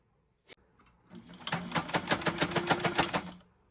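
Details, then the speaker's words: White model 1563 sewing machine, stored in a garage, before cleaning and oiling, needle in zigzag position: short run of sharp clacks about seven a second, knocking harder than normal; source unclear, owner suspects needs overhaul. "Something over here. I don't like that sound. Let me take my bobbing case out. All right. So, again, it's making a noise. um by the sounds of it might need some a major overhaul."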